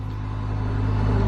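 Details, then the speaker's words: Acura RSX (DC5) after starter replacement (intake manifold and throttle body removed for access): catches and settles into a steady, even low hum building slightly; smooth healthy idle, starter was the issue. "oh yes yes it's been three weeks it's been three freaking weeks so the starter was the issue which is good"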